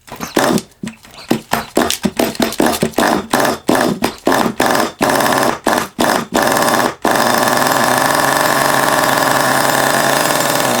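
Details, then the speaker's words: Long-unused HPI Savage 21 nitro RC monster truck engine, just restarted: idle turns choppy and drops out in irregular bursts as revs fall too low; owner suspects oil or fuel buildup; bogging and stalling. "you can always tell if it's starting to get a little bit sort of um a little bit blocked up sort of thing with oil or fuel the the revs are getting too low"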